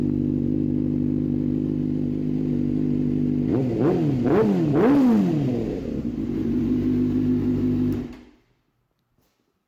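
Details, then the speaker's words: Warmed-up 2005 Suzuki GSX-R sport bike idles smoothly, then takes three quick throttle blips that rise and fall cleanly and return to an even idle; sounds healthy, normal revving. "I've already let the engine warm up, so I'm gonna give you guys a couple revs just to hear how she sounds."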